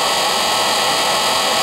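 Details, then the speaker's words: Rebuilt Raymond electric motor with new brushes and brush holder, running on old lead-acid batteries in 20-minute cycles to break in the brushes; smooth steady high whir with soft hiss, no scraping or sparking, much quieter now that brushes seat across their full inch-wide width. "here's the edge of the brush and then all the way across here is the entire width of the brush so it's much much quieter now"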